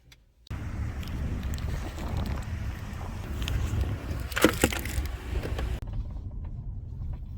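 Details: Mercedes-Benz E250 panoramic sunroof while driving: sharp irregular cracks and creaks over steady road rumble, worsening over time until constant, from the sunroof frame; fixed by removing trim and grab handles to get at it.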